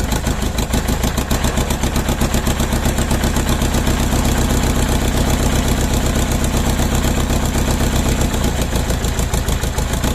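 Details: Mercedes OM611 diesel run standalone on its factory Bosch ECU, second start, with one bad injector: lumpy, stumbling knock at idle, roughly three beats a second with a missing beat, a misfire.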